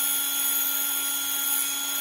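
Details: Scarlett SC 042 hand mixer after repair, motor gears and two motor bearings lubricated (it had squealed and grated when hot from lack of grease): steady high-pitched hum, smooth and even, no squeal or grinding; normal running.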